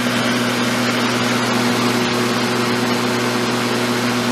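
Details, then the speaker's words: Black & Decker electric mower, cleaned up with a sharpened blade, running smooth with an even, steady hum and no vibration or rattle; it can run at different speeds. Normal running. "No vibration. Pretty neat. Like you can run it at different speeds."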